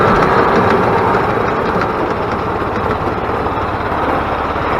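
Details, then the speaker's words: 2000 Yamaha G16 golf cart on its first test drive after an engine rebuild; it had been making a very loud racket and would not go. Even, steady engine drone under load with travel noise, no knocks or stumbles; pulls smoothly. "nice and smooth actually has nice power on it so I am very happy with the way this golf cart feels"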